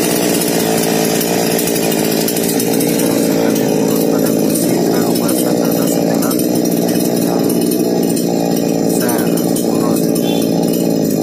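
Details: Small two-stroke chainsaw (Remotek mini) lacking power, run after refuelling before carburettor setting: buzzy, slightly wavering pitch without crisp pickup; lack of power from carburettor out of adjustment.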